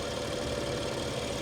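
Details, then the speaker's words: 2017 BMW X5 twin-turbo, about 40,000 miles, cold morning: rock-steady idle with faint quick light ticking on top, a little clickety-clackety but not much; normal valvetrain chatter, engine healthy. "she sounds like a BMW engine too I mean a little clickey clackety but not not too much she is just Rock Steady"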